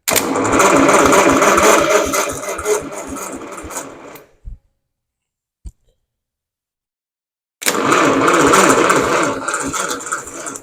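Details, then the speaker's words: 1977 International Harvester 140 tractor on first revival start attempt, weak battery with jump pack, some throttle; even cranking about three turns a second with no firing, twice; inside of the distributor cap found badly fouled, to be replaced. "Ooh, no, that was never going to fire. So the inside of this rotor cap is real funky, and it was never going to fire, ever."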